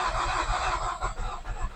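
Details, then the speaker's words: Nissan X-Trail T30 on a weakening battery: uneven starter churning with weak puffs that almost catch but never run, a crank no-start. "dia pada saat diarter dia seperti mau hidup tapi tidak jadi ya teman-teman seperti itu Jadi ada gejala mau hidup tapi enggak bisa hidup"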